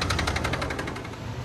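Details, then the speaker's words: RAM HD cab-chassis with a Cummins described as blown up: heavy, rapid metallic knocking hammers along with the diesel idle. The mechanic suspects catastrophic internal damage, to be confirmed at teardown; the engine is being replaced with a 2018 HO. "I don't think nothing wrong with this one, man. It's just making a little bit of noise."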